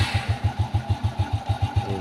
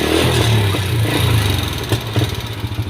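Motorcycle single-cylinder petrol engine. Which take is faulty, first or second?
second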